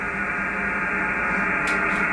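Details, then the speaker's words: Ham radio receiver decoding on medium wave at 474.20 kHz: constant raspy buzz over the hiss across the band; interference later traced to the ungrounded fiber internet terminal. "hello fellow Iams I'm trying to decode whisper on medium wave as you can see we're on for 70 4.20 and I've got noise for that you can hear it to hear that buzz"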